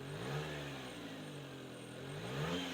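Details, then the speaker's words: Subaru Sambar, after adjusting the carb throttle linkage plate that caused a dead spot and stalling on throttle: quick blips rise and fall cleanly from steady idle; throttle response now smooth. "it's perfectly smooth it would not do that before"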